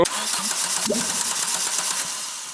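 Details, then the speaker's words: Rebuilt abandoned Renault Clio 172 after fuel supply fixed, running with no exhaust and no intake system: catches after a brief crank and revs crisply, then dies when switched off; healthy starting and fuelling. "Bear in mind we have no exhaust on it. We have no induction like we have no intake system. We have nothing. It runs."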